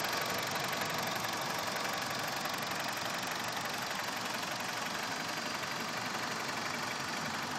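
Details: BMW E46 at idle: fast, fairly even ticking about four per second over steady idle; cause unknown.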